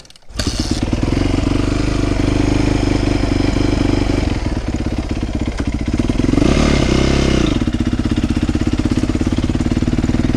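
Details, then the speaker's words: 2008 Yamaha YZ450F after chain tightening, not fully warmed up: idling with uneven, irregular exhaust pops; chain noise gone but still popping, valve clearances later suspected. "Still a little popping, but it's not all the way warmed up yet, so. Pop, pop, pop."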